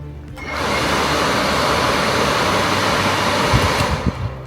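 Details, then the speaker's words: RV furnace blower motor, plugged straight in for testing: spins up quickly to a strong, steady whoosh with no scraping or wobble and closes the sail switch unaided; healthy. "So you saw right away the motor rotating much stronger and it closed that without me having to push on it."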